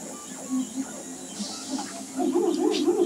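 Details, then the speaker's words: Makerbot Replicator after intermittent carriage repair: warbling arcade-like Space Invaders/Galaga tones shifting pitch as head moves; loud steppers on old drivers without microstepping. "let me eat up here the sound come out of it but it reminds me like an 80s based like a Space Invaders or something Galaga just the noise"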